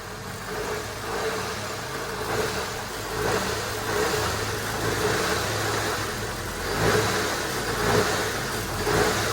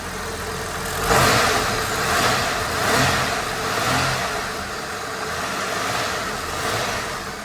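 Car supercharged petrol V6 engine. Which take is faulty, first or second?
first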